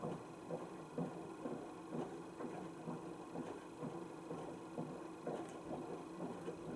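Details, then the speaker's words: Panasonic NA16-VX1 inverter washer, 7 kg, 1600 spin, 2009, about 12 cycles after loose parts were tightened: soft slow swishing thumps about once a second over low motor hum, nothing rattling; notably quiet, normal wash. "your thing you'll notice is how quiets machine is known as it quiet on the wash"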